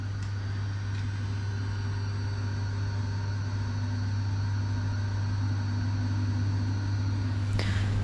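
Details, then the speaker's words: Brand-new Triumph motorcycle that would not start or even click, with a check engine light showing, kept on a trickle charger: steady low whine from the engine body with ignition on; owner guesses the fuel pump, source unknown. "Do you guys hear that whining? I'm obviously no technician, but at first I was like, maybe it's the fuel pump or something."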